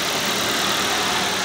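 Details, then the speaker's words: Toyota Vios (Batman) after replacing spark plugs to cure a misfire: steady even hiss-like running with no stumble or missing beat, idling smoothly; normal idle. "kung may Palo pa siya so ayan wala na siyang valo"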